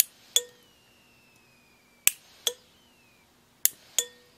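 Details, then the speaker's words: Wiring test, fusible link rated 100 A overloaded with bimetallic thermal circuit breakers: sharp metallic clicks in pairs about every 1.5 seconds as breakers open and close; fusible link smelling but stays intact. "I think the breakers are clicking and the fusible link is melting but it's still connected that smells terrible let me get this outside the bi-metallic strips you could hear them they were opening and closing"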